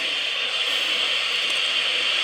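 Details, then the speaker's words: 2N217 germanium PNP transistor in a test jig with test amplifier gain at maximum: smooth, even background hiss with no pops or crackles, quiet compared with other noisy germanium transistors. "so comparatively speaking this guy is in pretty good shape again this is a 2 and 217 germanium PNP and I've got the gain up all the way on the test amplifier and only a little bit of background noise"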